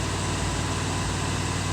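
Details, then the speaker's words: 1987 Jeep J-20, AMC 360 V8, cold start, test gauge at port behind oil filter: steady, even low rumble, no knocks or ticks; 65 psi cold while dash gauge read 40–50, healthy cold idle. "Well, look at that. 65 pounds of pressure at a cold start. My oil pressure gauge said 40 pounds, going up to 50."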